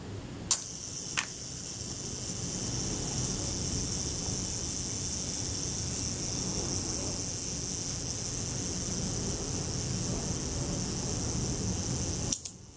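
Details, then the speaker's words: Rebuilt camera shutter with slow speeds adjusted and 1/8 s set accurately, self-timer set: a steady fine whirr runs about eleven seconds, then one crisp shutter snap; normal self-timer run and shutter release. "We'll set the self-timer and see if the shutter will run down and fire."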